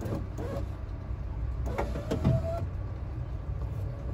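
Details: Brief motor whir as the glass travels up on a 1998-2002 Honda Accord coupe door after installing a new window regulator, tested with door removed; smooth with no grinding or binding, so the regulator works normally.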